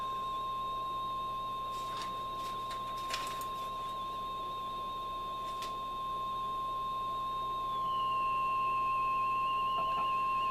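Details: Hallicrafters S40-A vintage HF receiver during alignment at the antenna-stage choke C1: steady high test tone with a few clicks, pitch steps down as the screwdriver slides in, but the choke does not appear adjustable.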